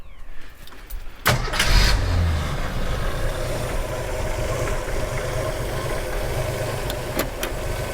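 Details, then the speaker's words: 1987 Jeep YJ 4.2L AMC inline-six, carbureted, sat 7+ years, dead accelerator pump: catches after short crank, rough wavering low idle; once warm it won't idle unaided, cause not confirmed. "All right, will you run and idle without external assistance now? Nope. Once it warmed up, it didn't like life anymore."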